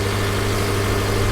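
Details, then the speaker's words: Salvage car at 183,000 miles with very black oil and oil leaks: smooth, even low idle with a steady hum and no knocks, ticks or misses; sounds healthy. "Let's go ahead and fire it up and see what she does. Well, there it is. It sounds healthy to"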